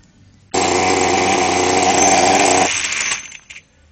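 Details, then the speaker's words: Kyosho DSV nitro RC car started with a charged glow igniter on the plug and a pull on the starter cord: the engine catches abruptly into a shrill, steady high buzz for about two seconds, then winds down; a normal start. "και βάζουμε μπροστά τοποθετώντας την μπουζόπιπα πάνω στο μπουζί και πιέζοντας καλά τραβάμε την κορδονιέρα."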